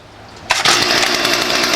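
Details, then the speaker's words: STIHL FS45C trimmer unused about 6 years, after carb clean, carb kit, new primer and fresh fuel: catches and climbs into crisp, steady high-pitched two-stroke buzz; running smoothly like new. "you start running up runs like a brand new one"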